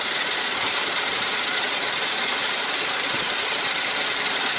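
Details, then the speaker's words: 20–30-year-old car started in wet, miserable weather: engine ticks over smoothly and very quietly with no knocks or misses, the only real noise being the rush of the original cooling fan; normal idle. "That's really quiet now, that engine. Pretty pleased with that. I mean, the only real noise from that is the fan."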